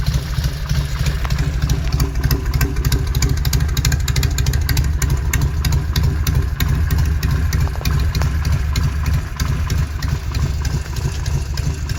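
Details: 1971 Norton Commando 750 Roadster, matching numbers, engine and gearbox overhauled, first start after refurbishment following three decades off the road: steady, lumpy twin idle at a low even beat, no knocks or misses; normal idle.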